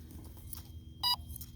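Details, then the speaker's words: ZOP 3300mAh 4S 60C lipo in a crashed Durafly DH 100 Vampire RC jet: single short, shrill beep, the lipo voltage alarm sounding, first mistaken for the motor or retract. Lipo low-voltage alarm. "that's just the motor is beeping you hear the beeping yeah I hear or the retract oh my voltage alarm"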